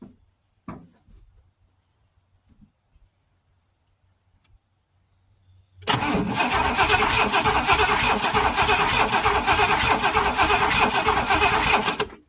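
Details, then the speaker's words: Oldsmobile Toronado long parked in the woods, cranking about six seconds at roughly three beats a second without catching; spark-plug check shows no spark at the plugs despite spark shown earlier, wiring a rat's nest; cranks but no start. "Okay, guys, we are not getting spark. Oh boy, why are we not getting spark?"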